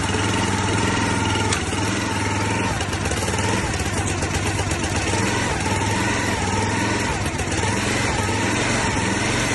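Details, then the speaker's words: Log splitter's small single-cylinder engine, sitting about 5 years, running on brake cleaner after a carburetor rebuild, with no oil change yet: steady, even putter at one speed with no misses or knocks. "it's Straton boys we got her going five years of sitting in the woods"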